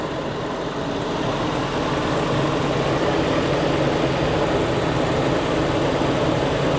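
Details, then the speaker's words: 2000 Toyota Kijang Krista 1.8 EFI just started after oil change, engine still cold: even, smooth idle with steady low rumble, no knocks or misses; normal cold idle. "Hai Mila suara mesin Kijang Krista 1,8 Efi uh suara mesinnya Syahdu banget"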